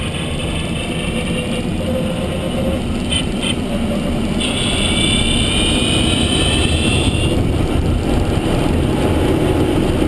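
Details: Renault Zoe, Q210 motor, 63,000 km, while driving: thin high whines come and go above the road roar. Electric drive motor whine, cause unknown.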